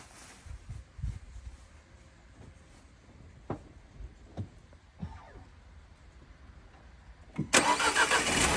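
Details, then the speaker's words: 1.2 TCe on LPG, 200,000 km, untouched, oil changed every 10,000; checking for alternator clutch/tensioner clatter. A few faint clicks, then clean catch into steady idle, no rattle or knock. Normal start and idle. "używam częstą wymianę oleju co 10000 dodatki tak jak na moich filmach nie ma żadnych trzasków"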